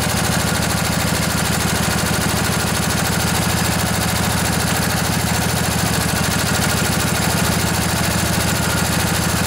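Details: Revived junkyard Briggs & Stratton Intek OHV twin, 20–22 hp, model 40777, in a Husqvarna riding mower, with a new carburetor: steady, even low thump at a smooth idle with no misses or knocks; idling healthy.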